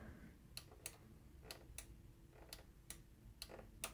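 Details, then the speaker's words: Cover interlock micro switch inside an XD500u DLP projector, being actuated by its metal tab. Sharp, crisp clicks come in pairs, about eight in four seconds, over a quiet hum; the switch is activating normally. "can probably hear that click and that click tells us that it's being activated"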